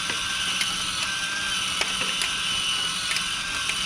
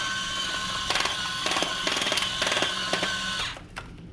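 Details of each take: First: Discovery Mindblown 4-cylinder model engine kit after adjusting the motor: small motor whirs high and steady through plastic gears with light clicks and no grinding; earlier grinding fixed by pushing the motor up into the gears while tightening. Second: Discovery Mindblown 4-cylinder model engine kit, electric motor driving it: steady high whine broken by rough grinding clatter from slipping, loosely meshed gears; motor adjustment from step 18 fixes it.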